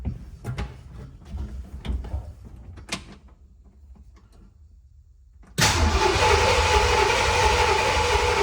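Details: Ford F-100 after a transmission reseal and new fuel and serpentine systems, coolant low: a steady, even starter churn for about three seconds with no knocks. Healthy cranking; 50 psi oil pressure afterwards.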